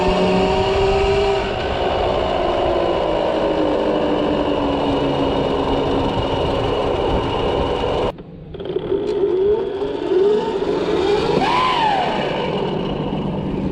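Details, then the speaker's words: Pit bike converted to 6000 W 72 V electric motor driving the original gearbox through a chain replacing the crankshaft: whining tones sweep with motor speed over rattly clatter, briefly dropping off; drivetrain sounds wrong, chain noted as noisy. "doesn't sound good"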